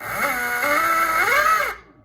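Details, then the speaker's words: E-bike hub motor on a new controller, trying another phase and hall wiring combination: a loud whine rises and falls with the throttle, too loud for the motor, and high amps are expected. The phase and hall wiring are mismatched. "It appears to be running, but it's too loud, and that's not good."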